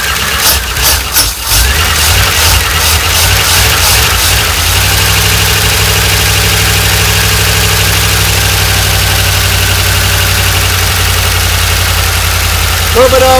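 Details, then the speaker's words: 1988 Dodge Ram W150 4x4 with TBI fuel injection, first start of the year after several crank cycles, burning smell underneath: the V8 catches and settles into a steady, even idle with light mechanical clatter; normal idle. "and noise that's normal for this engine"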